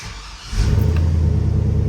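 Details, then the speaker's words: 2003 Chevy Silverado after fuel pump replacement, pump cycled several times to prime the rail: engine catches within a second and settles into a steady, even idle, a clean start confirming the new pump works. "perfect and that is it we know the fuel pump is good and ready to go I could hear it firing out here"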